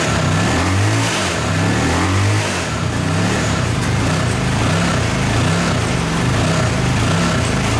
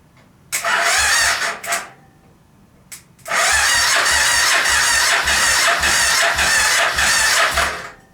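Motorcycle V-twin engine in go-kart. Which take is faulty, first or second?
second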